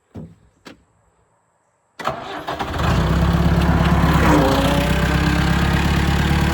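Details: Cat 416 backhoe diesel after a steering cylinder reseal, with new battery connectors fitted to fix a starting issue: two short starter bumps, a pause, then it fires and settles into an even idle around three and a half beats a second; normal start.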